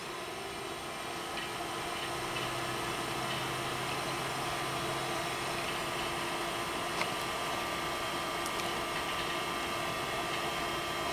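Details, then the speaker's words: Original Macintosh II (M5000) being revived: steady fan and hard-drive spindle whir with scattered faint seek ticks as it loads the system; old hard drive booting normally. "Well, it's doing something. I didn't like that noise. Oh no, it's loading."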